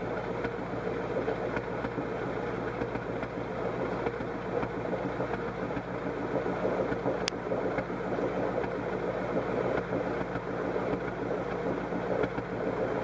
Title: DIGIROLAMO MISFIRE 1